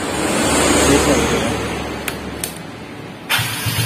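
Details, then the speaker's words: Three-wheeler cart starter motor, once declared burnt out, repaired and refitted, run on a large battery: a strong, even cranking whirr with clicks; a contact is slightly faulty; normal starter cranking. "Wah enak bosku, suaranya bosku. Kita coba sekali lagi bosku. Suaranya enak bosku."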